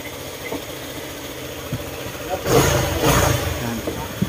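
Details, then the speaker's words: Honda ADV150 scooter after repair of knocking engine (camshaft suspected, not crankshaft bearing), seat refitted: steady low idle with the earlier "krok krok" knock gone; quiet, standard normal idle. "Ayan nga siya tahimik na at Ah pwede nating makuha yan standard na po yung tunog niya mga Sir"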